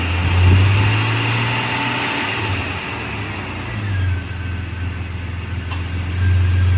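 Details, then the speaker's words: 2000 Jeep Cherokee XJ Classic, 4x4, brand-new inline-six engine, engine bay view after a cold start: even low hum rising and falling with light revs, no knocks or ticks; normal engine revving. "There's your inline six. We have not cleaned up this engine bay, so it's pretty dirty. But you can hear how it sounds at least."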